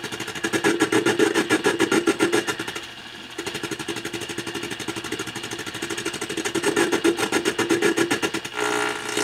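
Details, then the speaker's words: Tube radio receiver, signal-tracing probe at the IF stage glass tube; fast pulsing buzz about four beats a second through the speaker, changing as the probe moves closer or away, locating the oscillation in the IF section: IF stage parasitic oscillation. "So we can see that the oscillation is in the IF section. By me moving the probe closer and further away from this glass tube is actually affecting that oscillation."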